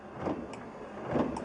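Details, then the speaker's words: 1974 Chevy Nova with an aftermarket 12 V intermittent wiper module; the dash switch set to high overrides the module. Smooth electric whir swelling and fading about once a second, no catching or grinding; normal high-speed wiper operation. "Regardless that the module is working, the switch takes control."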